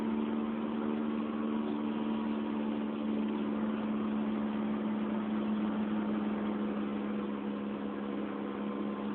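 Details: 2004 Honda Fit GD3 1.5W at about 50,000 km, four years old, driving, phone mounted in the car: steady low droning hum over road rumble; worn rear hub bearing.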